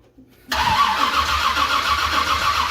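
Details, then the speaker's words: 1978 Ford Courier with a 351 V8 and double-pumper carb, cranked on a new starter: steady, even cranking but it never catches; no fuel reaching the empty carb, and the rear accelerator squirter is not squirting. "yeah I haven't heard any fuel yet yeah I think I'm gonna go grab a little gas and we'll pour down a bowl and just like I thought there's no fuel"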